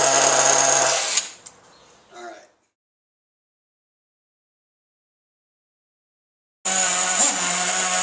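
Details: Losi 810 nitro RC buggy engine after fixing a suspected air leak in the fuel pressure system. A high-pitched scream drops to silence, then returns strong and even; it sounds healthy.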